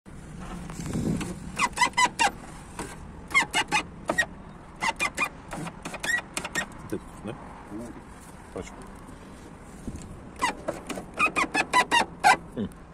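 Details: 2001 Skoda Octavia door window regulator in motion: short, sharp squeaks in bursts of about three or four a second. Suspected washed-out lubrication in the rollers or cables; repaired by drilling out and re-riveting the regulator.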